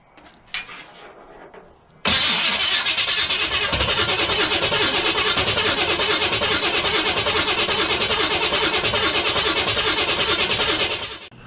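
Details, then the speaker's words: Chevy big-block V8 unrun for years, HEI distributor, with gasoline squirted into the carb and timing untouched: the starter churns about nine seconds but it never fires. The owner suspects he didn't give it enough gas. "guys let's give this a try again we'll go ahead and try to give it maybe I wasn't giving it enough gas we'll go ahead and try to try to get it going and see what we can do"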